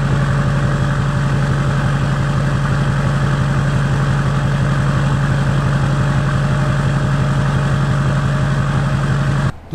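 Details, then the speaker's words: Freshly rebuilt Duramax LBZ diesel with dual fueler, HSP piping and new Ryan's Diesel turbo, first start after cranking to build oil pressure, idling for turbo break-in: deep steady rumble, even clatter, no knocks or misses; normal idle. "so we're going to get this thing started up go through the cranking first and then start it"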